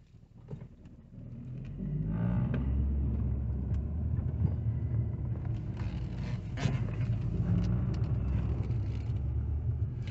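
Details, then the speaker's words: Infiniti M45 V8 with an aftermarket aluminum engine undertray: pulling away in drive, a deep drone builds with the engine. The undertray is touching and vibrating, and the car also went into limp mode. "The vibrations ruin an otherwise refined vehicle. I know these vehicles are not supposed to sound like this."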